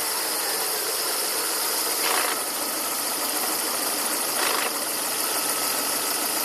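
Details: 2000 Volvo S40/V40 1.8 122 hp engine: steady hissy rasp over a rough-sounding idle with two brief louder swells, source unclear; rasping noise at idle.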